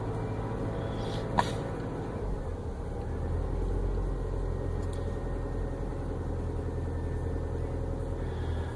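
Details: Subaru, hard to start: low, uneven rumbling idle that hunts and never settles, stalls when the throttle is slowly released; rough idle, cause not yet pinned down.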